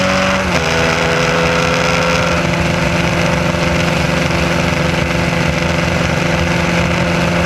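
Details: SCCA Formula Continental race car engine held at steady high revs, rough and stumbling under load: an ignition misfire caused by a distributor wire picking up pulse signals from the electric fuel pump.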